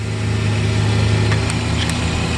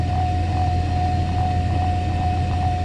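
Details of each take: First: Mercedes SL600 running with repaired throttle bodies off the intake manifold, throttles still active: steady slightly fast idle near 1000 RPM, otherwise smooth; high idle from unmetered intake air. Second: Mercedes SL600 cold start and idle after throttle body and Egas repair, exhaust leaking: even cold idle with steady hum, faint whine and slight exhaust leak tick; idle speed holds steady, healthy.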